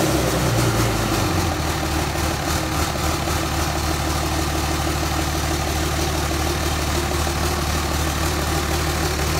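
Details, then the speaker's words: 5.9L Cummins common rail run on the shop floor on a stand-alone harness and ECM. Even, steady diesel clatter at a settled idle with no misses, surging or knocks. Normal idle. "i've got a wire that i just i'm going to send power to and the truck the motor will start and should sit here in idle"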